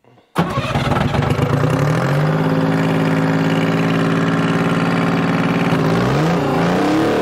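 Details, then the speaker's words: Bantam C350 crawler crane, believed to have a Detroit 3-53 two-stroke diesel, parked about 20 years in the woods; catches at once, revs briefly, then settles into an even idle firing on all three cylinders with no misses or knocks. Normal idle. "oh yeah it doesn't sound bad at all it's hitting on all three i don't know it's detroit's man that's they're not a lot of power but they are a lot of reliability they always run if they spin they run"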